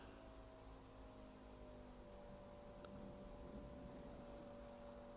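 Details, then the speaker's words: 1971 Chevrolet Chevelle SS 454 with newly installed Holley Sniper 2 EFI, ignition on before first start: steady faint electric whir with thin constant tone as the fuel pump primes the dry fuel system; normal priming. "So right now we hear the fuel pump running. It's priming it. You got to remember it is dry."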